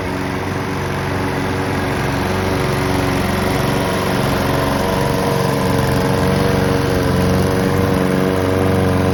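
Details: Honda and Mountfield petrol lawn mowers being run out of fuel for winterising: two small engines buzz steadily at even pace, no misses or knocks; both healthy, normal running.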